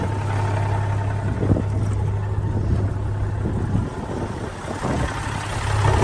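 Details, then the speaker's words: 1994 Peterbilt 379 day cab, reportedly rebuilt Cat 3406B diesel (truck about 991,000 miles), out of gear: even, steady low rumble at warm idle, oil pressure about 60 psi rising with throttle, no knocks or misses; normal idle. "Started right up. Good oil pressure, about 60 psi. It goes up with throttle."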